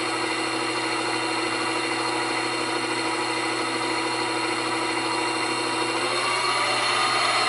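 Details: New Grizzly G0758 benchtop mill, low range 50–1,000 rpm, starting near 50 and run up to maximum. Smooth whirring tone climbing steadily in pitch, no gear clatter; normal running.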